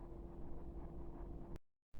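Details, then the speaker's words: Chinese diesel heater in a garage, previously showing error code E-3 and cutting out after a wiring mishap, traced to a faulty motherboard; after the fix, steady blower hum with even burner rumble, no cutting out, running normally. "but this is a good sign so far it wasn't doing anywhere we're near this level it would have cut out before and it was showing a error code three"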